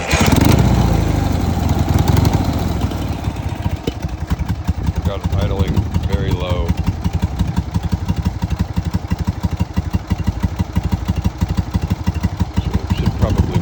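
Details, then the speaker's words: BMW R60/2 after a motor swap and top-end rebuild, about 5 miles since the rebuild: slow, uneven putter at about three beats a second, barely hanging on; idle speed too low, needs raising and the carbs cleaning again. "the idle up we'll clean the carbs again"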